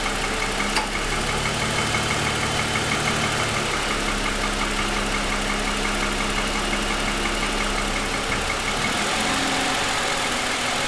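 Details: 2007 Lexus ES350 V6, parked with hood raised, cold idle: steady, fairly quick light tapping over the engine note; owner says pronounced piston slap for about 10 minutes after cold start, worsening over 2.5 years of ownership.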